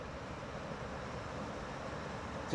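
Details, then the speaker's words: Newer GE (Haier) air conditioner after fixing a fan start-up noise: low, even fan hum with no rubbing, rattling or scraping at startup; motor runs smoothly and quietly. "Let's start it up again. No noise whatsoever. You know, it's perfect."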